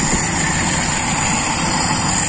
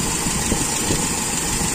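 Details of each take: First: Toyota Kijang with Aisan carburettor after disassembly, restarted warm with nothing changed, idle air screw three turns out from closed: idle hunts unevenly and sounds unstable, so the air setting is to be checked; cause not confirmed. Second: Toyota Kijang with Aisan carburettor after disassembly, idle while turning the adjustment screw to about 5 (from 3 turns): steady, even idle with no misses or surges; setting judged slightly lean but normal, not sensitive, okay.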